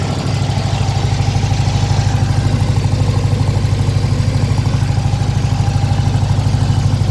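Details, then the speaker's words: Weber IDF 40 carburetors clogged by ethanol fuel, engine hand-primed because the new fuel pump delivers too little: lumpy idle popping about twice a second; suspected too lean at idle adjustment; idle popping. "So you can hear that popping. It's like it's either too lean or something. That's the idle adjustment."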